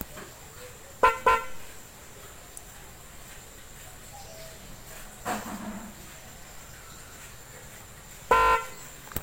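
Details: DIY-installed snail horn on a car or motorcycle, wired to the old horn pin with ground to the battery negative, first test: two short toots then a longer blast, each clear and bright. The horn works properly.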